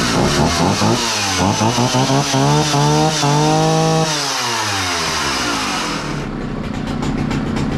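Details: 60-year-old Husqvarna 65 chainsaw, brittle aged part found, only semi-repaired: revs up crisply, holds a clean high scream, returns to steady idle without stumbling; starts easily and runs nicely.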